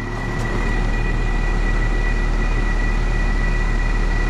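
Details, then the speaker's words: Eight-year-old HVAC condenser, still under warranty, at start-up: a steady whirring drone with a thin high whine. The condenser fan motor bearings sound dry; the capacitor was already checked. Motor replacement recommended. "those bearings sound dry this is a system that's still under manufacturer's warranties eight years old I may recommend that we replace this motor"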